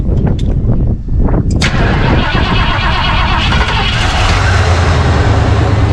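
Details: 1991 Ford Bronco 351W after Bar's Leaks head gasket sealer, exhaust smoke and antifreeze smell gone, coolant topped off: brief cranking catches into a steady, even V8 idle, low smooth rumble, no misfire or stumble; normal start and idle.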